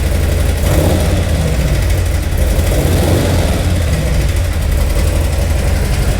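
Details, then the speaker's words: 2018 Harley-Davidson Milwaukee 8, 107 converted to 114 Screamin Eagle Stage 4, losing power: heavy, lumpy V-twin idle with a deep knock through the beat; abnormal engine knock suggesting internal damage. "the customer brought it in essentially said that it was losing power and making a knocking noise so let me show you around and see what we have it is indeed making engine noises that are abnormal"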